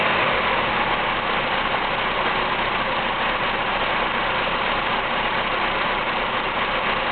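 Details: Petrol engine with a rough, lumpy idle that never settles; vacuum fluctuates between 13 and 15 inches and the entire engine shakes; cause not yet found.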